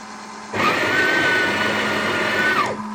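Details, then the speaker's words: Breville Oracle Gen 3 BES980 after installing a new burr to fix slow grinding and overheat error 30, at grind size 24: about two seconds of strong, even motor whir at a steady pitch, more than double the earlier speed. Normal grinder operation. "That's 10 seconds already. Much quicker. More than double the speed."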